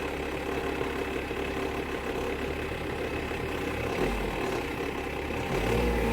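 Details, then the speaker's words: Wrecked 1999 GMC Sonoma parts truck, fender and door removed, engine revved while floating gears into third and fourth: revs climb and drop cleanly, no knocking or rattling; motor healthy. "The motor sounds good. Oh yeah, we're ready to take this thing apart now."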